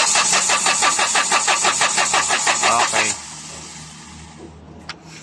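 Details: Hyundai H100 CRDi diesel with low power, now not starting, fuel return removed for injector check: even cranking pulses about three a second for three seconds, dies without catching; busted injector causing hard starting.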